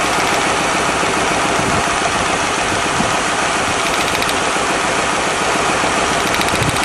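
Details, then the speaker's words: 1997 Lincoln Continental V8 idling with one cylinder misfiring: loud, uneven pulsing miss, about three to four beats a second; coil pack suspected but ruled out, cylinder two next for plug and compression checks. "all righty is running exactly the same as yesterday yeah you can hear that pulsing Miss"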